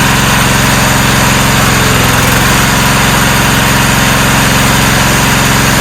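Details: 1994 Cub Cadet HDS2135 riding mower, unused about 10 years, now running: steady, even single-cylinder putter at idle with no misses, knocks or hunting. Normal idle.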